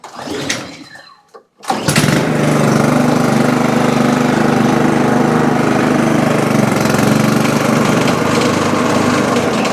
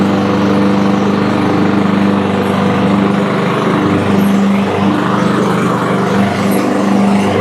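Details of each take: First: Toro Super Recycler mower with blade brake clutch, running with blade engaged via handle: loud rough clattering knock over the engine, sounding like the blade hitting something; not yet diagnosed. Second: Toro Super Recycler mower, blade engaged via the blade brake clutch after replacing the belt, bearings and pulley for loud noise: a steady, even engine drone with no squeal, knock or grinding, so the blade drive now runs quietly.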